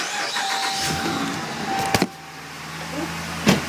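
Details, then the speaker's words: 2009 Dodge Ram at steady idle after exhaust manifold bolt replacement (aluminum head, manifold checked and found not cracked); the earlier exhaust-side ticking is gone and the engine runs clean and even. Normal idle. "as you listen the ticking sound is all gone yay"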